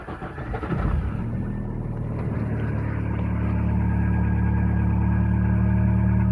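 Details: Mazda 626 after sitting overnight: engine fires and settles into a cold idle with steady tapping, about three to four knocks a second, disappearing within about half a minute; cause unknown.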